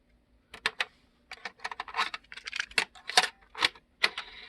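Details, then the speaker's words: Jensen CD-550 boombox cassette deck fast-forwards fine but won't rewind: irregular sharp plastic clicks, a couple per second, as if the reel is skipping teeth. A different cassette later rewound fine, so the tape was likely not inserted correctly. "You know, I tried the trick in putting it in without the door, but they give you very little room and you can't get slip behind it, so kind of actually can't see it in action of what it's actually doing, but it sounds like it's skipping on the teeth."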